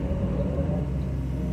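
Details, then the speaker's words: John Deere 2054D excavator after swing motor replacement (leaking pinion gear seal), swinging full circle at light load: even low engine rumble with steady hydraulic drone, no clunks or grinding; swing running smooth. "okay now we have tons of roll to swing full circle and then go out and check for leaks and we're turning"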